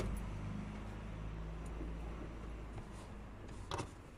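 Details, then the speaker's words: VW Golf 6 petrol, in-tank fuel pump under rear seat, ignition on after refitting: brief steady low hum from the rear fading after a few seconds; normal fuel pump priming. "Vous voyez ici, on l'entend, hein, donc il n'y a pas de problème."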